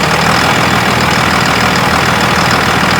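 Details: 2001 Dodge Cummins 24-valve with VP44 injection pump, being fitted with upgraded injectors, after RTV applied to a squeaking belt: steady, even diesel clatter at idle with no belt squeal; normal idle.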